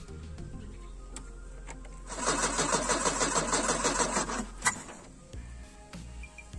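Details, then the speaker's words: VW Gol (square) petrol carburettor engine cranking with a weak battery, jump-start being set up; fuel pump problem and not drawing fuel from tank, petrol poured into carburettor; starter churns steadily a couple of seconds, no firing: crank no start. "Fala galera aí onde fazer uma ponte aí a bateria tá fraca não tá pegando"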